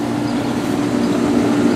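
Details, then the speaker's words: Rheem 2-ton AC outdoor condenser after replacing a bad capacitor: smooth, constant mid-pitched motor hum with no stalling or chatter, running smoother and starting the compressor better than before. Normal running. "times that I came out it was definitely running but is running smoother than it did the compressor starts out better than it did that's for sure"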